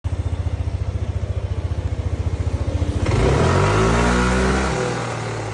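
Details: Yamaha NMax V1 scooter with an odd noise from the automatic transmission: a steady low idle pulse, then a rough, uneven drone from the belt drive on revving.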